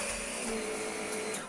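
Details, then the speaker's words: Shark NV680UK Power Speed Lift-Away upright vacuum, owner called it very quiet: soft-start motor gives a soft, steady hum and faint whirr that dies away, near silent, dirt not leaving the floor; weak suction, motor suspected, not confirmed. "i mean it's absolutely silent it seems to be picking something up that's leaving the floor oh wait no the dirt isn't leaving the floor"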